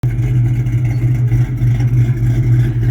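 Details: Engine idling after a catastrophic failure, burning off residual oil from the exhaust: deep, lumpy idle with an uneven stumble, still misfiring, bad coil found, cylinder three suspected.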